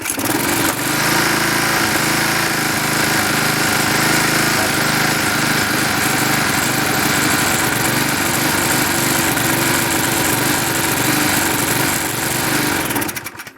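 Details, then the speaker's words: Klippo Champion lawnmower with Briggs & Stratton Quattro 40 engine, head gasket replaced last year, oily carburetor and breather oil mist: runs steadily but slightly uneven and soft, then cuts out; owner suspects running rich and weak, carburetor to be checked. "there's some some carbureted relating it seems that it's running quite rich and not very strong"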